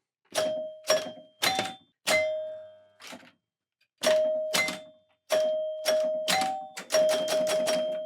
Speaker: On entend déjà des relais qui claquent. Là, on entend bien le carillon.